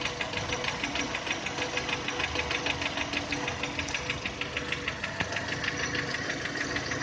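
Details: 2010 VW Touran 1.6 BSE, cold idle below 1000 rpm after two days parked: crisp even ticking knock about three per second, gone above 1000 and as it warms; seems left side. Rebuilt just over 15,000 ago with new pistons, valves, hydraulic lifters, bored block; cause unknown.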